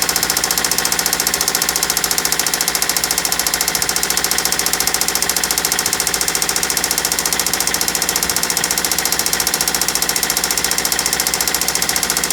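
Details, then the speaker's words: Toyota Celica with newly installed used JDM engine, freshly started then run toward operating temperature: sharp metallic ticking about three and a half per second over steady idle; severe knock, possibly carbon buildup, owner thinks engine needs replacing. "that's freaking awful that doesn't seem too bad but clearly that sound is horrible"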